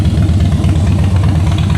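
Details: Salvage-auction wrecked 2013 Harley-Davidson Heritage Softail idling before a short test ride to try the transmission; deep, lumpy V-twin idle with even loping beat, nothing rattling or knocking. Sounds real good, normal idle.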